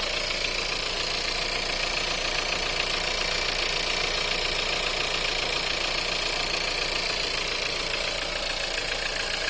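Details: VW 1.4 TSI EA211 engine at cold idle: steady sharp knock about three or four beats a second over a hissy top end; cold-start engine knock.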